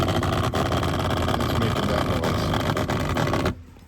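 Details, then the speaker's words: Geyser shower system's small water pump running when the sponge is squeezed, ambient about 65°F: quick rhythmic heartbeat-like thumping, about three or four beats a second, stopping abruptly; normal pulsing for this pump. "So when you're running the pump, it's gonna make this like heartbeat sound inside the center. So every time Wendy squeezes that sponge and the water starts coming out, it's"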